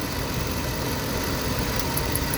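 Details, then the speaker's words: Toyota 4.7 V8 after ignition coil diagnosis, known-good coil installed: even idle with every cylinder firing, faint sharp spark tick on top; normal idle with healthy coil spark. "Okay, so remember, this one is actually a good coil. So listen, boom, boom, boom, hitting, hitting, hitting."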